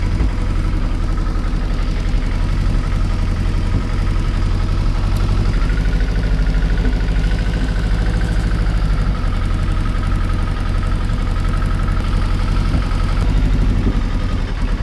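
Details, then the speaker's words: Kawasaki ZXR750 H1 just started on choke after its carburettors were stripped and cleaned, before warm-up and balancing: a deep, lumpy, uneven idle with occasional backfiring. Vacuum gauges show the carbs badly out of synchronisation. "See on the gauges, carburetors are absolutely miles out of synchronization. Not surprising. It doesn't sound right. It's back backfiring every so often."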